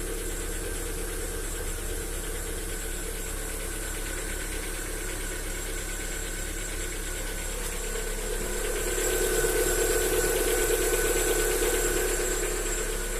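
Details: Lada Vesta SW Cross at 8,700 km, cold start at about +5°C: steady light knock of about three beats a second. It begins around 35 seconds after starting and stops near 40 seconds, and has been present since new. There is no oil consumption on 5W40 oil. Owner suspects hydraulic lifters or piston slap.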